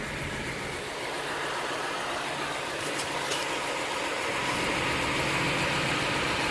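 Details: 2006 Acura TL (3G) in park, idling, steering wheel turned slowly lock to lock: quick regular clicking about four a second from the driver side, caused by an internally binding steering rack; replacing the rack fixed it.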